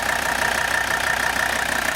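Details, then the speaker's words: 1984 Mercedes 300D, 3.0-litre turbocharged five-cylinder diesel, well-maintained original car: even, quick diesel clatter at a steady idle with no misses or stumbles; healthy normal idle. "so you can hear the car running there's the beautiful diesel sound"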